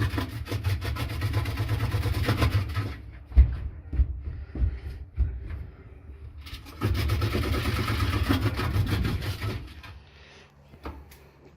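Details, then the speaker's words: Samsung appliance drum running with a low rumble, rough rubbing scrape and irregular knocks, stopping and restarting; technician suspects worn rollers. "okay got samsung noise guys this looks like it's a rollers"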